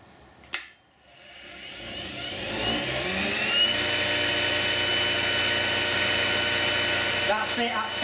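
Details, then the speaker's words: Axminster Precision Pro pen lathe, 375 W motor (believed brushed), soft start: switch click, then a clean rising hum settling into an even, steady whine with no knocks; runs up to 3,600 rpm full speed; motor runs smoothly. "I think it is a brushed motor, but it's very smooth, and if I just turn it on now,"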